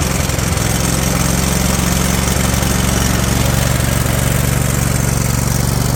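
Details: Husqvarna riding mower, Briggs & Stratton Intek V-twin, over 900 hours, running off the carb with no cooling: uneven, lumpy chug at steady speed; rough running, owner suspects old gas.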